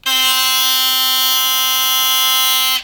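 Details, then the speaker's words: Philips Sonicare Protective Clean 4300 (HX6808) toothbrush running with a loud harsh buzz because the head and drive have become very loose; before repair. "You can hear it's gone really noisy because it's gone very, very loose."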